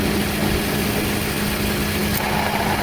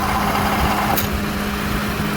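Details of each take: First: AC compressor, bad: steady idle, then compressor clutch clicks in and a fast uneven rattle rides over the engine, stopping when it disengages — bad AC compressor rattle when engaged. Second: Idle with a rattling AC compressor after its clutch disengages: steady even hum and low drone, rattle gone until it clicks in again — normal idle with compressor disengaged.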